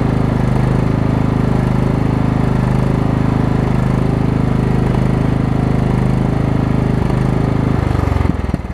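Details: Craftsman rider over 20 years old with Kohler Command engine, after fixing a wrongly installed deck belt that had locked the engine: single-cylinder runs fast, steady and even, then winds down; normal running.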